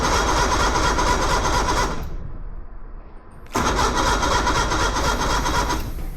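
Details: 1977 Play Buoy pontoon boat outboard: long cranking burst, short pause, another cranking run without clearly catching; slow to start, fuel starvation suspected.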